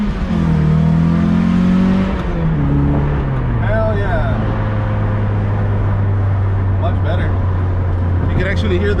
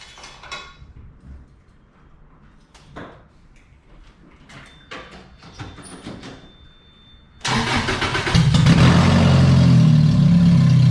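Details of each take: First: Lotus Elise under an acceleration pull after fixing the underneath exhaust leak: smooth, even drone climbing and settling with no rasp or popping; quiet, normal exhaust. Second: Lotus Elise that suddenly turned deeper at a red light: loud, deep, blatty idle far rougher than stock, like a straight pipe; owner suspects a failed header gasket leaking exhaust.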